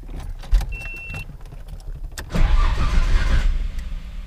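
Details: Nissan Skyline R33, big turbo fresh build with new ECU, first start: short crank with clicks, catches at about two and a half seconds and settles into an even idle before warm-up.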